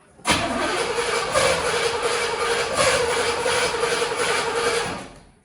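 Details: 1974 Pontiac GTO 455 V8, long stored, carburetor rebuilt: about five seconds of steady cranking near three beats a second that never fully catches; hard start.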